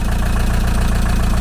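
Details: 1987 VW T3 camper with AHU TDI diesel after a used turbo swap, first run after months sitting, idling unrevved to bed in new oil: even, steady low diesel rumble with regular firing beat, no knocks or misses; a bit of exhaust smoke.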